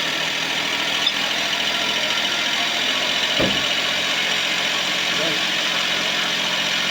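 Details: Suzuki Palette wagon after adjusting the two belt tensioner bolts to fix a squeal returning a month after a new belt: petrol engine idles steadily with even hiss, no belt squeal or chirp.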